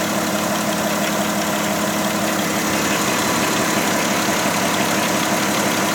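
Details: Volkswagen Touareg SUV at idle with a busy, uneven clatter and hiss over a steady hum; source of the noise undetermined.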